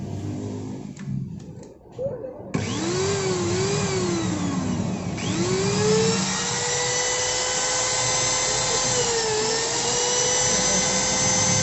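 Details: Modern SIM-100B grinder after replacing disintegrated bearings and refitting the carbon brushes; after handling clatter it spins up to a steady smooth whine with no grinding, running normally.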